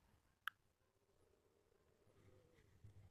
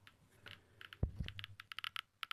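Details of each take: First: Dosimeter DP-5V measuring in range 01: a few sharp isolated clicks, about two in six seconds, over near silence, normal background radiation clicks. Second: DP-5V military dosimeter switched to control mode (K) with its check source: sharp irregular clicks, about six a second, the crackling of an elevated radioactive background that signals danger; check-source test confirming the instrument works.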